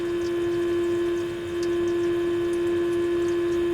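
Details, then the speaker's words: Zenith H725 AM/FM tube radio during FM alignment with a 400 Hz modulated test signal near maximum: a thin, faint tone over constant hiss; weak FM audio output, owner suspects an earlier slug adjustment, unconfirmed. "I can Center it and get a signal but I have the modulation turned up to maximum and I have the signal turned up almost to maximum and I am still turn this down I'm still not getting a really strong signal"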